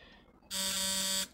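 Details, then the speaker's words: Westbury Wyvern open-crank model stationary engine, probably built around 1985, bolted to a workbench: with the buzz coil connected to the contact breaker on the side shaft, a short, sharp, steady rasping buzz starts and stops cleanly, showing normal buzz coil operation. "connected up the buzz coil to the contact breaker on the side shaft and if we click the lead on you'll notice the brass"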